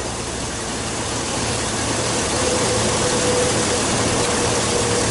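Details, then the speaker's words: Chevrolet Silverado idling with a misfire that the Pico scope's secondary ignition traces do not reveal; every cylinder shows a good burn time. A loping stumble of about three to four a second under heavy hiss, as if one cylinder drops out. Rough idle, misfire. "everyone shows beautiful burn time but I'm definitely missing missing one cylinder it's just not it's not it's not running"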